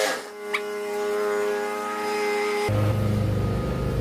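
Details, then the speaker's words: Yard Machines MTD 21-inch mower, 140cc engine with automatic choke, about 5 years old and sat unused, heard before its tune-up: a single pull fires it into an even, quick putter; healthy start and run. "So anyway, isn't that lovely? It started right up. And one pull."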